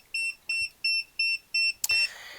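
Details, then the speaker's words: HFK HM702 dash cam on motorcycle powering up with the bike: five short, evenly spaced high beeps about three per second, then a click; normal startup. "Obviously, these are the three beeps it makes and the different settings, the speed, the rear camera, I hold down, in fact, the front camera and the rear camera, I hold down again."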